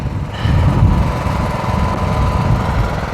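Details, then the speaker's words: Craftsman LT1000 lawn tractor on a test drive after repair: steady, even low drone with no misses or knocks as the blades spin up; engine pulls the deck load cleanly, normal running under load. "Let's go for a ride. Test it out a little bit. That's right. Here at Mowers and Blowers, they're pushed into the garage, but they come out driving."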